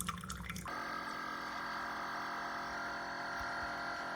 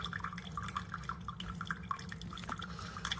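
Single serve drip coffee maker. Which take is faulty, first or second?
first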